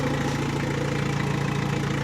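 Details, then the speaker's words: Opel Astra after swap to a scrapyard engine, first start with exhaust not yet fitted: steady, even diesel idle with smooth rhythm and no knocking, loud rasp from open exhaust; engine running healthy. "It runs. It runs. Finally. Finally. Finally, it's running. And there doesn't seem to be any knocking sound."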